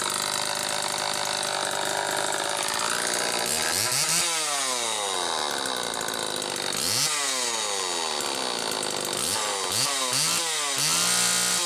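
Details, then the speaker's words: XL-2 chainsaw two-stroke after crankcase reseal and spark plug wire repair: screams up high, surging and falling instead of settling to idle; idle speed screw wound almost all the way in, wrong carburettor circuit plate gasket found. "Okay. Well, I know it was running goofy before because the idle speed screw was run almost all the way in. That's why it was racing like that."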